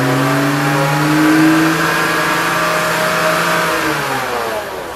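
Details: BMW 325i engine revving with a steady whirring note rising and falling with engine speed; alternator or guide (idler) pulley suspected as the noise source, not confirmed.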